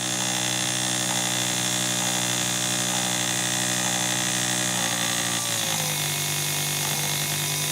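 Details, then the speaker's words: Test motor on a repaired Miller 180K welder field current regulator board: buzzy whine steady at full speed (~1.6 A), then pitch slides smoothly down as it's turned down to ~1.3 A; only ~0.3 A separates full and slow speed; regulator controls properly. "it doesn't fit the motor is difference between you know running at full speed and slowing down dramatically is only one there's only about 0.3 of them of a nap"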